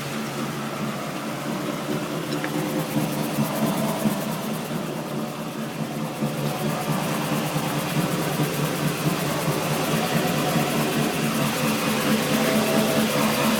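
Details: Steady loud low drone under road noise from rear driveline; tail shaft replaced and reconditioned diff newly fitted, noise occurs whichever wheel rolls; owner suspects diff pinion or carrier bearing.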